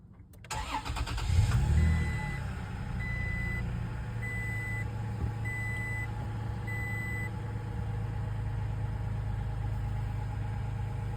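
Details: 3rd-gen Toyota Tacoma after fixing a no-start with a Brake Override Malfunction message: a shorted frayed canopy wire had blown the 10 A "stop" fuse; wire taped, fuse replaced. Quick crank, clean catch, five chime beeps, smooth steady idle: normal start.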